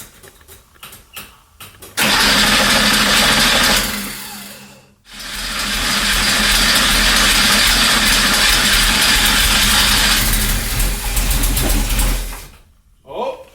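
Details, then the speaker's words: 1977 Porsche 911 air-cooled, first start after months stored, fresh oil change, new oil cooler hose and battery: brief crank, fires, sags then settles into smooth even idle with slight huffing, little smoke; normal cold start. "That's smooth. A little huffing and puffing. Not much smoke."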